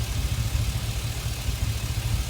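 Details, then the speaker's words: Chevy Express, rebuilt earlier, at idle with a cylinder 1 misfire that stayed put after swapping the injector and coil. The scanner counts cylinder 1 misfires climbing 8, 10, 12. Uneven, stumbling idle pulse with small drops. "Cylinder number 1 I have now 8 misfire. This is 10 misfire, 12 misfire."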